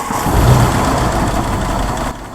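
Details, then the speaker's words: 1964 Ford Thunderbird, choke unset, low-ish oil pressure: low, lumpy idle with uneven beat and stumbles; misfire suspected, possibly from vacuum leak at the carburetor-to-intake spacer gasket. "it's not real bad but it's not real good either she does run though so that's cool but it definitely sounds like there's a bit of a misfire going on"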